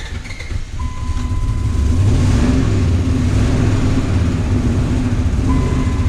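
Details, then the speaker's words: Dodge Ram 1500 with replacement Jeep 4.7 HO V8, retimed after jumping time, warming up on new antifreeze: loud, uneven lumpy rumble, won't idle and stalls off throttle; no banging but gauge shows no oil pressure, cause unknown. "anyway you can hear it and it won't idle if i let off the gas stalls"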